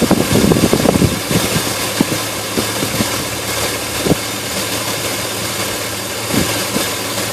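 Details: Idle hunts and stumbles, with irregular thumps every second or two instead of a steady beat; rough-running engine, cause unclear.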